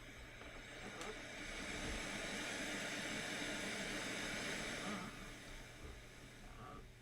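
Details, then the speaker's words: Static hiss on a bench-repair audio unit swells and fades when Bluetooth is unmuted, also on auxiliary and FM inputs; USB, SD card and iPod inputs silent. Odd since Bluetooth is digital; cause not confirmed. "static. Why are you getting static on Bluetooth? It's a digital signal."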